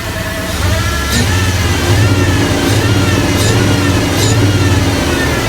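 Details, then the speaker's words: OBS crew cab truck that sat for years: the V8 idles with an uneven, stumbling low beat and irregular surges, and it dies whenever the mass airflow sensor is plugged in. Rough idle, cause unknown; oil pressure is good. "Okay, so we've got it idling now. But whenever we plug in the mass airflow, it'll die. And it's still really rough. But it runs."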